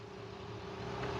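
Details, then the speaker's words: 2020 Ford F53 with replacement 7.3 engine, previously cylinder 4 misfire (P0304), just started before power balance test: quiet steady idle with even low hum, no skips or ticks; normal idle. "rápidamente se oye que el motor está trabajando bien en este momento"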